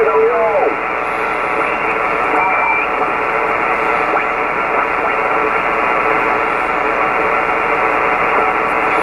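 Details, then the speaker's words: Kenwood TS-520 HF rig, dirty with moisture damage, revived with few parts: on outside antenna, 20 m, upper sideband, noise blanker off, steady band hiss with faint warbling slow-scan TV signal; weak signals hard to tune, receiving normally. "okay we'll go back to the upper side band position turn the noise blinker off already see it's receiving something"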